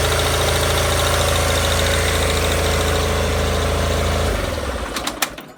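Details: Gravely 817 with Onan CCKA twin after starter repair: steady even twin-cylinder putter with no starter gear clatter against flywheel, gear retracted well away, then winds down and stops; running normally.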